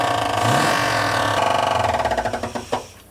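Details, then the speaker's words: Donor 305 small-block Chevy just swapped into a 1979 Camaro Z-28 makes rapid hard knocking about four per second as it fires, fading as it stalls; found that the crankshaft is striking the oil pan. "the cranks hitting the oil pan, it's right there"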